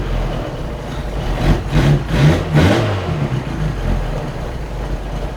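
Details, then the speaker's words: Autobianchi A112 Abarth race-spec 1050cc engine with new Triger cambelt conversion, just restarted after years: crisp throttle blips rising and falling cleanly over steady idle, no knocks or rattles; eager, healthy revving. "It sounds a little better, which is not a surprise. And it sounds really eager."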